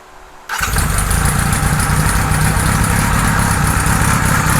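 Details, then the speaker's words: 1978 Kawasaki Z1-R four-cylinder with newly installed carbs: fires up and idles with a slightly uneven, wavering beat; synchronizer shows 1 and 4 good, 2 and 3 off, rough idle while carbs are being balanced. "one and four are pretty good two and three are not so we're gonna have to tweak those but it's still behaving weirdly"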